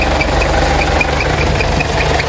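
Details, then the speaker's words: 1994 Mitsubishi Pajero NJ 2.8L 4M40T turbo diesel, dead cold idle in neutral after new turbo water lines installed: steady light tick about five per second over clatter; owner suspects the compressor bearings have gone. "so have to take it for a really good drive to see if there's any leaks but um I think my compressor's gone St the bearings"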